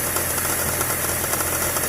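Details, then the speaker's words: 2007 Chevy Trailblazer with the engine idling. A light, uneven metallic jangle and clanking comes from the front belt tensioner pulley, which can be felt bouncing and jerking; owner suspects a weakened internal spring. "anyways that right there is your catching there pulley and it's just making a clanking sound right now when I put my hand on it I can feel it bouncing and jerking around"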